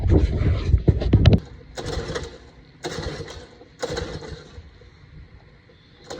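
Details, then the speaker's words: Tecumseh string trimmer that sat outside for years, given a little gas: it fires in short sputtering bursts that die within a second, and it only starts on carb cleaner, so a dirty carburetor is suspected. "So I'm thinking it's probably something to do with the carburetor, since it starts on carb cleaner. So I'm just gonna go ahead and take everything off here and try to get to the carburetor to see if maybe I can just clean it."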